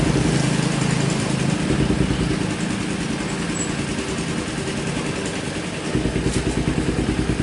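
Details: Carbureted Kawasaki Ninja 250 that is hard to start, worse on cold mornings. Revs hang high and sag slowly when the throttle is released, then the idle pulses unevenly. Unstable idle; the carburetor is suspected but not confirmed.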